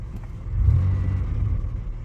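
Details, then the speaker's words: Used Buick, 195,000 km: deep smooth rumble swells with a short rev and settles back evenly, no knocks or rattles; engine sounds healthy. "So, well, yeah, it's not bad at all. Not too bad."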